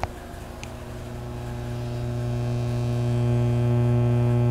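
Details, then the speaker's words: Soundcraftsmen A2502 amplifier (about 125 W per channel), microphone held to speaker, no input signal: loud steady low hum from both speakers rising to a constant drone; failed power supply filter capacitor. "So I want to show you what it would sound like if you owned this amplifier and turned it on and heard this. Now it's really hard to hear, but so I'm going to put the microphone up to the speaker. But we got some pretty serious hum out of both speakers."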